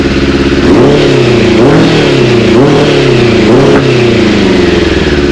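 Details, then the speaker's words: Suzuki Bandit 600 four-cylinder after carburetor rebuild with 98 jets: repeated rev blips, pitch rising and falling with slightly uneven, stumbling edge; slight misfire, better than before, carbs not yet balanced. "so let's give it a quick Bash still sounds a bit misf fary but not as bad as what it"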